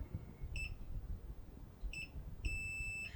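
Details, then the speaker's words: About 90-year-old tube radio, continuity tester on the grid wire: two short high beeps, then a steady unbroken tone as the wire is closed up. The grid lead is shorted against the can that goes to the antenna. "So, this grid wire was short out against the uh can that goes right to the antenna."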